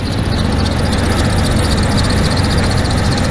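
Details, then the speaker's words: Oldsmobile Bravada, cold idle, fan wind noise: rough uneven idle with stumble and thin squeal; misfire plus belt needing tensioner and belt; owner wonders if distributor or plug wire causes misfire. "it definitely needs the tensioner and it definitely needs the Bell but the votes not terrible it's just cold now for the misfire that it has I'm kind of wondering if it's like the distributor that's up here"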